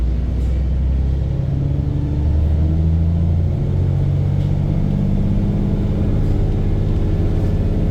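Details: Arriva Yorkshire VDL bus 1518 (YJ61 OAD), exhaust blown the day before; deep diesel rumble with steady clatter, an even knock over the engine note, engine knocking, source not pinned down.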